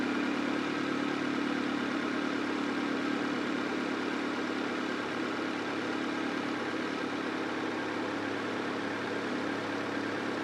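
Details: Honda CR-V (RD1) after replacing a burst small upper HVAC heater hose and refilling with water: steady, even idle, smooth hum, no knocks, misses or hunting; owner checking for head-gasket bubbling, coolant being drawn in.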